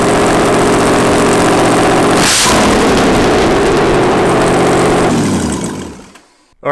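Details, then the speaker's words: Mazda FD RX7 race car with 2002 LS6 V8 swap (ported heads, Trick Flow cam), first start after no-start fix, running without headers: fires straight up into a deep, very loud, even open-exhaust idle, then shut off. "and that is what marca sounds like the car fired up no problems"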